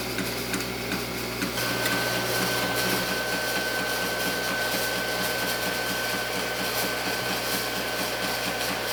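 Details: Antari Z-350 haze machine: quick light clicks, about two a second, over a steady fan hum with a faint high tone; source unknown, and the owner is unsure whether it is normal.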